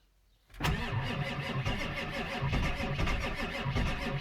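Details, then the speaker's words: Ford F-350 Powerstroke diesel cold start at 40 degrees after sitting all winter, bad starter that smokes, weak batteries. Turns over slowly and laboriously, about three heavy beats a second, struggling to catch: slow cranking from weak starter and batteries. "okay try it one more time otherwise I got the the boosters I'll get on it and batteries are weak put it away to the floor here wait to start it's cold"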